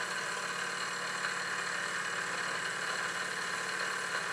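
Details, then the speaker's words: Small steam engine in an unfinished Victoria steamboat under live steam test, not new but little-run, extra oiled, regulator/reversing lever working both ways, lubricator drain valve leaking. Soft steady rapid chuffing with faint hiss, even beat, no knocks. Running smoothly. "the engine is really running well it's very good indeed"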